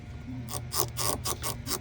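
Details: Whirlpool/Amana/Maytag appliance part turned by hand with the belt being removed: scratchy grinding bursts about four times a second. A dry, worn roller or pulley is suspected, not confirmed; it was to be cleaned and the belt refitted.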